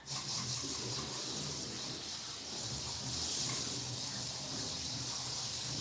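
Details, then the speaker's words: TFX slot car running very slowly on freshly cleaned track to check rail cleanliness: a steady, even high motor hiss with no dips, stalls or slowdowns as it circles, so the rails are clean and it runs normally. "I got that's running pretty good"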